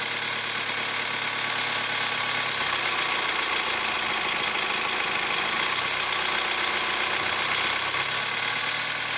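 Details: Hyundai ix35 CRDi 136 hp diesel, warmed up after a drive: idle with light metallic tapping over hissy background, louder from the wheel side; dealer replaced chain tensioner 1.5 years ago, lifters or tensioner suspected; hot engine knock, cause unclear.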